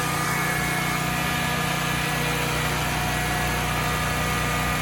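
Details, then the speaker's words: Generac XG10000E generator after carburetor rebuild and fuel solenoid replacement, having sat about two years: steady, even twin-cylinder drone with no misses, knocks or surging; runs smooth and healthy. "hey guys mission accomplished we did it after sitting for probably what was more like uh two years it appears we got the generac uh 10 000 e up and running"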